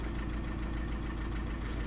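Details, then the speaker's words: 2009 Audi A3 8P 1.6 TDI at idle after a dealer software update (engine also remapped), codes P2463 and P0202, limp mode, DPF light: lumpy, uneven diesel chug, one cylinder misfiring. "know if you can hear it but the car is really really like if he's misfiring he's not running smooth whatsoever"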